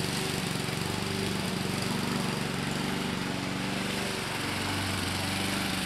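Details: 2014 Husqvarna HU700F self-propelled push mower, Honda GCV160 single-cylinder engine, after a carb clean: steady, even beat with no misses or surging; runs smoothly and sounds healthy.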